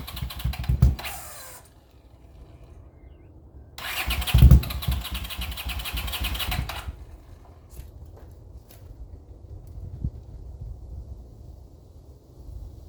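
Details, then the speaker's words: 40-year-old Honda GL500 motorcycle on first start after rebuild, fed from a temporary gas bottle: two starter bursts of about one and three seconds, never catching. Fuel starvation, traced to the wrong new carburettor float needles. "I know we got a fuel problem because when I hit it with the starting fluid it wants to start so somewhere it's just not getting fuel which means I've got to look into some things"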